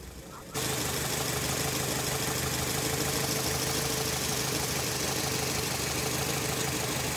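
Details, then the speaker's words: Nissan Latio (Grand Livina-type engine) limping idle with a stumble every few beats; engine mounting also cracked; misfire, likely an ignition system fault. "masalahnya mobil ini pincang ya teman-teman mesinnya sudah mesinnya pincang engine mountingnya juga pecah ini"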